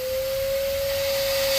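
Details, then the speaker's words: Shop vacuum on a kitchen sink drain line in a cast iron plumbing system: steady pinched high drone with no free rush of air, vacuum constricted, drain line plugged. "that means it's plugged it's plugged so my next step since the vacuum is constricted I'm going going to try to put a bucket there"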